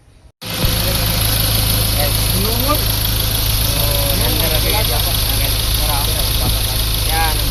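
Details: Ford Ranger diesel after replacing the tensioner bearing; steady even idle with a low drone and no knock, tick or squeal from the belt drive; normal idle.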